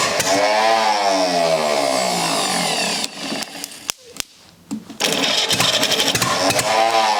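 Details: Rebuilt U23 engine ("Old Rusty") first start attempt after 25 years: catches, runs rough a few seconds, then dies back to cranking clicks and pops; it fires but won't keep running before throttle is adjusted.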